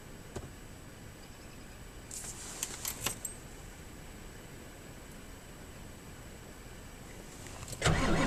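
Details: Ford 7.3 IDI diesel truck about three weeks after a positive battery cable replacement for intermittent slow cranking, parked nearly a week at 1–2°C: quick, brisk crank that catches almost at once and settles into a steady idle; slow-crank problem fixed.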